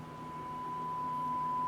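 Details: Pioneer SX-680 receiver with a power-on, no-sound fault (power supply, not signal path), signal checked at Q506: clean steady tone near 1 kHz swelling louder with volume control; amplifier passing the test tone.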